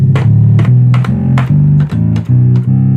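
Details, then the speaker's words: Rare Minitmoog synthesizer on the Taurus preset, after repair work. Clean repeated bassy notes with steady pitch and even volume sustain without dropouts or buzz; glide and sustain work. Normal operation. "But anyways, you can hear it's working pretty well. Glide works."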